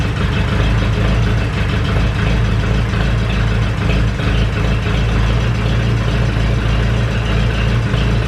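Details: Ferguson 20 petrol/TVO four-cylinder tractor, sat 10–15 years, running indoors with leaking coolant hoses: steady even low regular idle beat, no misfires or knocking; oil pressure good, running cleanly.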